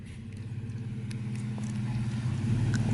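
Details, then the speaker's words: Toyota Tacoma mid-travel build after sway bar relocation kit, driven fast at an angle with suspension compressing: steady low engine hum and no scraping or rubbing heard, where it previously bottomed and rubbed; clearance now fine. "you you didn't rub i was watching i thought just because you were angled and going fast enough it was gonna rub for sure but it didn't at all it felt a lot better"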